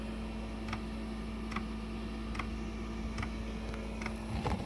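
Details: Planar 2 kW diesel heater, unused over 2 years, cold start: soft fuel pump ticks about every 0.8 seconds over steady fan hum as burner kicks in; tiny puff of smoke, then burning cleanly, normal start.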